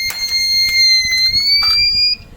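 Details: Microtek Super Power 912 12V inverter on mains: unbroken high-pitched beep for about two seconds, then stops; a faulty 15 V zener held the change-over relay, replaced with a through-hole 15 V zener so relay voltage drops to zero.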